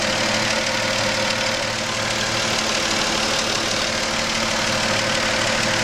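Steady idle with a light, quick ticking about three per second over a hissy background; knocking at idle, source undetermined.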